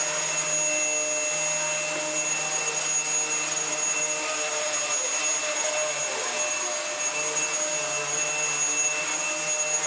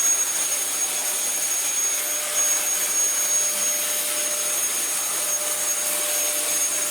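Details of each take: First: Dyson vacuum with brush roll, no hose, first test run: steady high motor whine that roughens and dips midway, then settles smooth as a seized brush roll bearing violently unseizes and then runs okay. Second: Dyson vacuum after its suction release valve was reset: a steady high-pitched motor whine with even airflow and no surging or rattles. It runs normally, though the brush roll is slightly dodgy.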